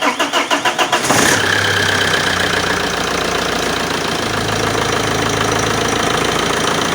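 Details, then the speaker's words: Common-rail diesel fuel system (JTD/Multijet family, 300,000 km, 22 years) after high-pressure pump rebuild for P0090/P0091 codes: primed 2–4 times, then several quick cranking pulses, catches within a second and settles to a steady, even idle; normal start. "So you just need to prime it 2, 3, 4 times for around 20 seconds at a time, and then just crank it and wait until it starts."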